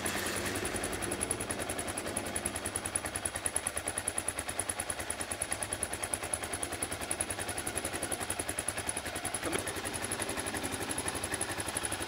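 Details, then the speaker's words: Gen 1 Kawasaki KLR 650 idling for a few minutes after an oil change, before checking the oil level; rapid, even single-cylinder putter with no misses or knocks; normal idle. "okay so I'm going to turn it on let it idle for a few minutes and then check the oil level"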